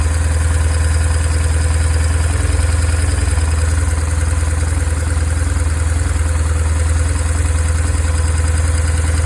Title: BMW R1150R 2002 Engine sound issue